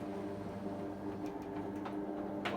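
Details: Garage roller shutter door after its worn motor was replaced with a new Ellard 100Nm tubular motor and the limits were reset: quiet, even motor hum with a steady low tone and a few light clicks as the door runs down smoothly; normal door run.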